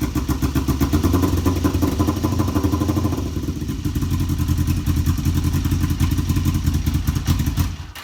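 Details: Kawasaki EX500 twin started for the first time in a couple of years, won't stay running; owner wonders about carb sync and asks about the old spark plug. Uneven, lumpy idle with irregular low thuds and some clatter. Rough idle.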